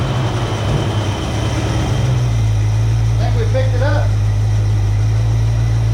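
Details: 1966 Ford Mustang 2+2 fastback with 82,000 miles, sitting for years, started after replacing a leaky fuel pump. After a rough first couple of seconds it settles into an even, steady idle with no miss or knock, "starting to sound better."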